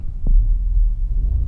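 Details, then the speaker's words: Nissan Almera after replacing a failed ignition coil that caused shaking and a flashing warning light, engine light still on: low, steady idle with AC on, even beat, no stumble or missing pulses; normal idle. "ตอนนี้รถนี่ครับิยปกติเปิดแอร์เปิดแอร์ก็ปกตินะครับเครื่องไม่สะดุด"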